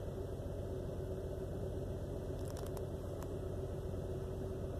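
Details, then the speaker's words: 2001 Jeep Cherokee XJ Limited, rough idle at times after start with flashing check engine light, eases once driven: uneven lumpy idle stumbling two to three times a second, runs rough on throttle, seems on four cylinders; cause unknown. "it's only running off on four cylinders and chickens and light flashes it just runs real rough it's running really weird what the hell is going on with this thing"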